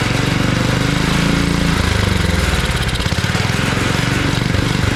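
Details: Abandoned, weathered two-cycle garden tiller, leaking gas, started after sitting: loud, rough, uneven single-cylinder chugging that revs up only on choke, a sure sign of a clogged carburetor that needs cleaning.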